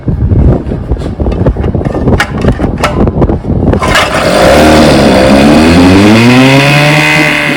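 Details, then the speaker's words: 1959 5.5 HP outboard motor after tuning, barrel test: pull-starts with a few pops, then a crisp, steady buzz rising and falling cleanly with throttle; runs like new. "i mean runs like new got her all dialed in here"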